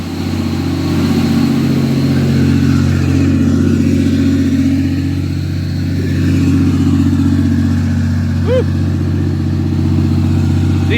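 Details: Cummins diesel truck (Bertha's twin), freshly rebuilt, running at fast idle at night after camshaft break-in: deep, steady, even drone with no knocks or misses; runs clean and healthy.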